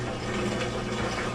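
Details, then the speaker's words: Maytag washer MVW6230HW2 with F9E1 no-drain error, traced to broken, kinked drain pump wires: after the connection is restored, a steady low pump hum with rushing, gurgling water; the drain pump runs and empties normally. "hey you can hear the drain pump draining already sounds like that's the only issue we have"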